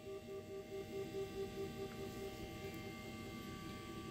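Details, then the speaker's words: Electric trolling motor on speed 5, the highest, before prop and tuning adjustment: quiet steady electric hum with a faint pulsing tone, even and smooth; motor running normally. "But that's on 5, which is the highest speed."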